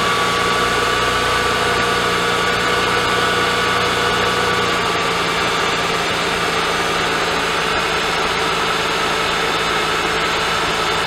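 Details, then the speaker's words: Mercedes-Benz M272/M273 V6 (S211 E-Class) cold idle after replacing the oil pickup tube O-ring, which caused the diesel-like cold-start rattle from low idle oil pressure: smooth even idle with faint steady whine, rattle gone; normal cold idle. "I don't know if you can tell on the last clip but on cold start there was no more uh rattle a couple seconds into the start so that's a good thing"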